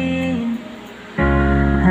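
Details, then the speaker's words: Japan-surplus Yamaha speaker playing music: full bass and mids from the woofer but dull, missing top end because the tweeter suddenly stopped working; blown tweeter, woofer still works. "maganda kaya lang hindi lang gumagana yung tweeter niya so hindi lang to Hindi lang umaandar pero yung malaking speaker niya gumagana po yan"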